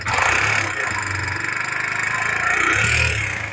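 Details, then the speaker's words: Kawasaki Barako motorcycle, about one year old, oil filter installed backwards, top end starved of oil and damaged; loud rapid clatter over idle, about four ticks a second, harsh up top; top end valvetrain noise from oil starvation. "Tapos pina-check up po, baligtad daw yung oil filter kaya umingay yung ibabaw. Pakinggan natin sir. Pakinggan natin yung ingay."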